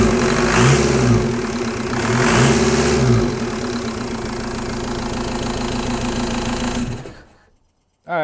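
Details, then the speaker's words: Mk1 VW with M-TDI swap and Bosch VE injection pump, short on fuelling: diesel clatter with two lazy rev blips, then uneven lumpy running after the lever stack was moved counterclockwise on the input shaft; rough running from incorrect throttle lever position. "I would generally say that was worse. And what I did was I moved the lever stack counterclockwise with respect to the like input shaft."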